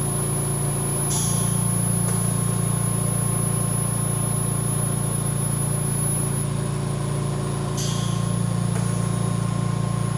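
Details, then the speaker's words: VMUS-DG1 double-quartz corona-cell ozone generator fed oxygen, at 50% output and rising: a steady electrical hum with a constant buzz and no breaks or crackles. The higher-pitched buzzing is completely normal. "Now at 50%, that buzzing noise keeps going at a higher pitch. This high pitch of buzzing is completely normal and nothing to be worried about while using your ozone generator."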